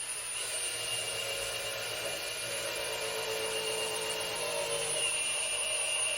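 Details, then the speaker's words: 1972 GMC Jimmy rebuilt engine in chassis before first startup, priming oil pump with a drill on the pump gear after fitting correct filter: drill whine deepens as it loads up, oil pressure building to about 60 psi, no leaks; normal priming. "and you can hear the drill load up and put some pressure on it, so that's the oil pressure building up."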